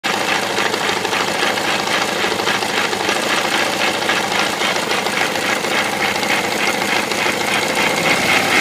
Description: Bad engine noise in my KTM 690 SM. Likely a bearing in the bottom end.